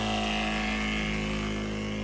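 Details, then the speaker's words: Solar pump feeding drip irrigation from a rainwater tote: smooth, constant hum with steady tone, no surging; flow improved after diverting to two hoses, as too much pressure was going to one hose. "And you can hear it's flowing a lot better now. I think it was just too much pressure, I guess, which I didn't really think was a thing, but yeah, it was too much pressure going to one hose, so I kind of diverted the hose."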